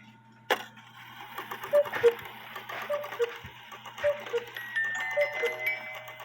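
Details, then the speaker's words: Cuckoo clock after reattaching the high-note wire and backing the movement off the 8-point star wheel: clean two-note calls, high then low, at about one per second; working properly. Too heavy a weight makes it cuckoo too fast. "It was a simple fix. First of all, the high note wire came off the arm. And second of all, the 8-point star wheel was touching the movement. So I backed off the movement, and now you can hear it cuckoo."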